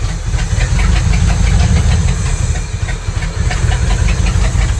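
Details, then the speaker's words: 1977 Dodge tow van driving in rain: lumpy, uneven low rumble with knocking and a hiss under load. Owner unsure whether the firing order is wrong or the carburetor is at fault. "This thing, I don't know if that got that firing order wrong or it's carburetor or what, but she's just grumpy."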